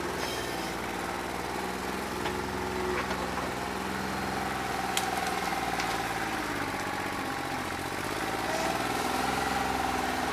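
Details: New Holland 1320 tractor diesel at idle with a bad injector: uneven, lumpy beat with irregular pulses instead of smooth clatter; it did not loosen up when hot, even after 3 hours of loader work.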